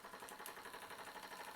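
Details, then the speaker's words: Old Jensen Manufacturing steam engine, unused for years, on first run: quiet, quick, even chuffing from the small piston and flywheel, steady rhythm with no knocks or catches; runs smoothly. "after years and years of not being used it runs like a champ just like it did how cool is that"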